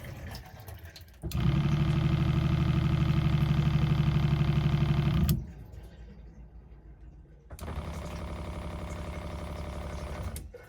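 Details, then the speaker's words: Newly installed SeaFlo 33 Series 12V self-priming diaphragm water pump (3 gal/min, 45 psi) in a camper, with the new filter fitted: fast, even chatter with a steady buzz, switching on and off cleanly, no leaks or squeaks; healthy pump. "all right no leaks no squeaks just how we like it you can hear that pump in the background but it's real faint yeah I like it"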